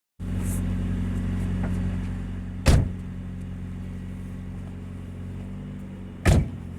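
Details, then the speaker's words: 2000 Nissan Altima, old car, idling with a loud, deep booming rumble from a leaking exhaust. "Oh, this car has a bad exhaust. It is leaking, so it's making a lot of noise."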